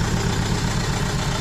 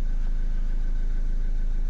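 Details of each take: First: Renault Kangoo 1.5 dCi diesel, rebuilt engine running rough: lumpy, uneven idle with a dropped beat in the low thump. Unplugging the used salvage cylinder-one injector changes nothing, so it is dead; a bench-tested injector is to be fitted. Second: Renault Kangoo 1.5 dCi diesel, towed in not starting (owner blamed crankshaft sensor), after repair: steady idle with even, regular clatter and constant low rumble, no knocks or hunting; repair complete.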